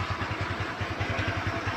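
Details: Kymco Easy scooter after checking the CVT for the earlier krek-krek idle noise: steady even idle at about ten firing pulses a second, no knocking or rattling, CVT smooth; normal idle.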